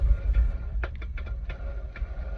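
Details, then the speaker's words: Yanmar 2GM20F marine diesel, engine still fairly cold, oil drawn out via dipstick tube with Camco hand vacuum extractor: low rumble broken by irregular slurping gurgles as it pulls air, sump empty. "and then you finally hear it do that once it's sucked all the oil dry you pumping pump and pump it seems like nothing's happening because that oil is moving slowly until you hear that glorious gurgle"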